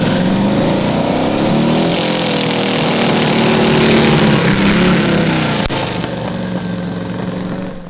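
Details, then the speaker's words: Custom V8 of eight Tillotson 212cc engines on a 900 lb go-kart: loud revving that stumbles and breaks up; suspected eight carbs not fully in sync, throttles to be synced better. "Still breaking up. Yeah, that was the best one yet. I think this is telling us that our carbs need to be totally in sync."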